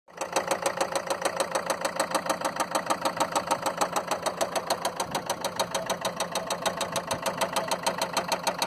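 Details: Land Rover Freelander 2 diesel at idle with lots of diesel smoke: sharp, evenly spaced knock about three times a second over a steady idle, loud clatter of heavy combustion knock; bad injectors suspected, not confirmed.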